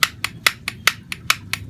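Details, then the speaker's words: Yamaha RX King engine, clutch hub rocked by hand: sharp hollow tok-tok knocks about four or five a second, as the inner clutch hub damper rubbers are completely worn away, leaving play; crankshaft also found badly worn. "Keras apa, hose coupling dalaman ini karetnya ini udah habis. Kalau nggak habis digeser seperti ini, nggak bunyi tok-tok seperti ini ya. Ini udah bunyi tok-tok seperti ini."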